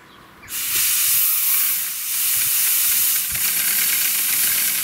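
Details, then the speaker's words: 1978 Hornby G100 Stephenson's Rocket 3.5-inch gauge live steam engine, never steamed, run on compressed air after oiling: steady high hiss with faint chuffs as the motion starts; small air leak. "so there is a little leak but we do have motion"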